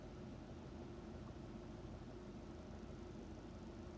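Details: 2005 Subaru Legacy GT EJ255/EJ257, 108k miles, pre-rebuild at steady speed: low uneven rumble with irregular stumble in exhaust pulses; engine misfiring, cause not pinned down.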